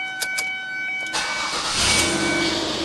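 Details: Car that cranked but wouldn't start with blinking theft light, started with resistor held to key for anti-theft receiver: a couple of light clicks, then engine catches immediately and runs smoothly; theft light stops blinking.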